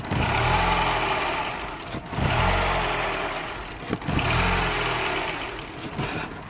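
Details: 2007 Mini One 1.4 petrol (N12), engine light on with error 2982, stalling. Engine started while back-probing signals; revs swell and sag in slow waves about every two seconds instead of holding steady: idle surging.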